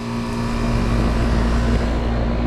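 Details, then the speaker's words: Condenser fan on a 25-plus-year-old AC condenser unit, which runs only after a hand push; steady low hum with even drone and no spin-up surge; owner says this almost surely points to a failed start capacitor. "now yesterday wouldn't do that this is almost a sure sign that the problem is the capacitor capacitor holds a charge and gives it a push to get it started"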